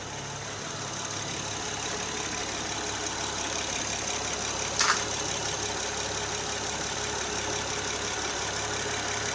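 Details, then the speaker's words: Normal smooth idle, even V6 hum with no knocks, misses or ticking, of a 2008 Honda Odyssey EX-L 3.5 L J35 just after installing a used 112K-mile engine with new timing belt kit, water pump, plugs and VCM disable kit. "We'll fire it up. Well, she's running. Well, clear out the old coat. The VSA light come off. She's purring like a kitten."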